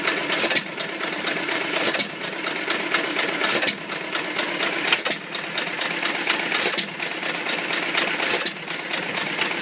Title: First run after rebuild! Old Iron Creamery power plant